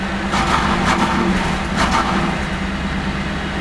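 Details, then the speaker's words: 1988 Chevrolet Camaro IROC 350 TPI, cold engine, check-engine light flashing, no codes stored: V8 stumbles and falls on its face on light throttle, won't rev, misfiring; fixed by replacing distributor ignition control module (ICM); computer later replaced. "just kind of falls on its face when you give it a little bit of gas"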